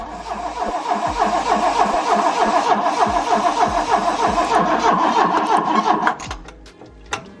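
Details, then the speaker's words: Car not run for over a year, cranked with brake parts cleaner sprayed in intake: rapid, regular cranking chug about three beats a second, catches briefly on the spray then dies; has spark, fuel delivery problem. "it again all right so we know it's a fueling issue we're gonna try it one more time"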